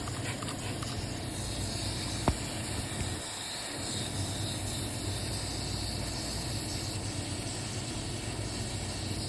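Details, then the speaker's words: Hospital condensing unit, new equipment with uncleaned coils: steady high-pitched hiss above the running noise, a bad refrigerant leak located in the condenser coil. "I hear a leak. I don't hear it over there. I hear it in the condenser. Oh yeah, it's a real bad one."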